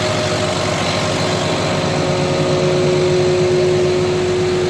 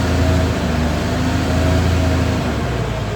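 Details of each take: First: CAT 966G loader, freshly overhauled 3176 diesel, after troubleshooting cured misfire and low power: steady even low rumble at constant pitch, no stumbles, RPM now rising quickly; normal running after misfire cleared. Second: CAT 966G loader with freshly overhauled 3176 diesel, low power, runs rough with an uneven stumbling beat, misfiring, and the RPM won't climb quickly.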